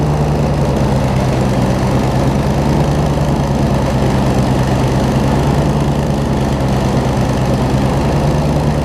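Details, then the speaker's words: Circa-2015 Snapper rear-engine rider, push-mower-type engine, long stored, after carb clean, blades engaged: steady loaded chug with faint irregular stumble; slight miss under load, owner suspects a little water still in the fuel; engine misfire under load. "they really don't like to have a lot of load on seems like a little bit of water in the fuel still doesn't really want to run right but it's still running"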